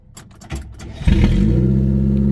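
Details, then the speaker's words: 1949 Armstrong Siddeley Lancaster, first start in about a year, new distributor fitted: clicks and cranking, then fires into a loud, raw, throaty rumble because the exhaust has been removed. "oh there's a very good reason why she sounds very throaty because there's no exhaust on it I've taken the exhaust off the car so it's just going to sound a bit Grim"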